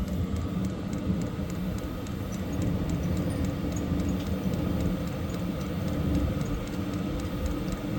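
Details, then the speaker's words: Hcalory diesel heater on temporary setup, fuel pump running but not yet ignited, blowing cool: even rushing fan noise ramping up with faint regular ticking about three a second; normal pre-ignition run. "you can hear it ramping up can you hear it again I didn't set the time or anything cuz this is just a temporary setup whatever heat's blowing cool it hasn't ignited"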